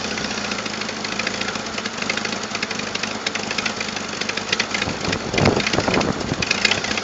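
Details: 1997 Jeep Wrangler TJ 2.5L at idle before repair: fast, sharp ticking over the idle, harsher near the end, from a leaking exhaust manifold gasket with a missing manifold stud; later fixed with new gasket and stud.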